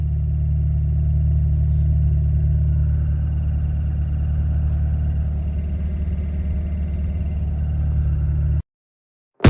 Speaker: that's the sound of the throwout bearing it's starting to fail